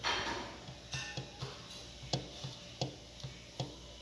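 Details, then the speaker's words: 2014 150cc motorcycle at idle with the magneto cover off: a light, slightly uneven metallic tick about twice a second. Crankshaft end play lets the timing chain shift on its guide; the bearing retainer bolts were out and the supports broken. "E aí Oi tá ouvindo aí uma folga no eixo do virabrequim E aí eu não sei se dá para vocês perceberem"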